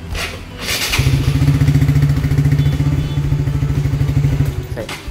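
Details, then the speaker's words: Honda Supra GTR150 fuel-injected motorcycle cranked right after an ECU reset (MIL now off): slow, laboured starter cranking at about three to four turns a second that never catches, because the battery is somewhat weak (aki tekor). "karena akinya agak tekor jadi kayak gitu [Musik] ya jadi memang akinya ini Sedikit agak tekor"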